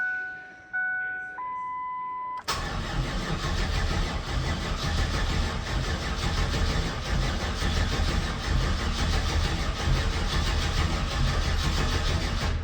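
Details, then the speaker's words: Mazda B4000 with swapped LT1 5.7 350 small-block V8, sat outside for a while, gas 3–4 years old, battery charged at 40 A, fuel pump heard priming: chimes then steady cranking, easier than before, never fires. Crank no start. "Well, one thing's for sure, it's turning over a little easier. Didn't seem like I wanted to start though."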